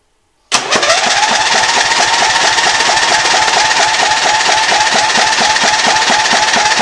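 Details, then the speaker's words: Wheel Horse lawn tractor with 16 hp overhead-valve Briggs & Stratton engine, cranking after a new spark plug: starter whirs steadily with uneven compression pulses but never fires; fuel flow confirmed good, next check is fuel at the carburetor. "and since it's not starting your next thing you'd want to look at is fuel"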